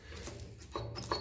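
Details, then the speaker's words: 1957 Ferguson 35 TVO tractor: short high squeaks in three brief bursts as the part shifts, dry metal-on-metal screech from an ungreased pivot; owner suspects part too thick and it needs removing and greasing, not confirmed. "you can hear the the that's screeching so I think this might be a little bit too thck to put him yeah it is"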